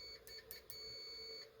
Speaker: so if we turn it on and set it to that particular setting that's going to give me an audible sound when continuity is detected